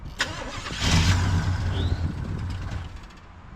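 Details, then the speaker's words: 1974 Chevrolet C10 on its third starter of the day: uneven cranking with a couple of brief catches that die away, so the starter now works but the engine won't keep running, and the owner suspects it ran out of gas on the incline. "Least it spun the motor. Fired up. All right, let's try again."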